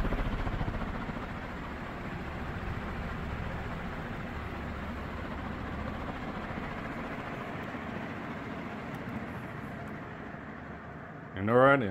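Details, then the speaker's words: Second mid-to-late-1980s 56-inch cast-iron-motor industrial ceiling fan run straight to high: steady even hum and airflow, no clunks or 60-cycle hum, no loose bearing; smooth normal running. "this one here seems to run a lot smoother than the first fan it seems to not have that loose bearing situation on the motor so this one here is perfectly smooth no cluns or 60 Cycle HS to this one"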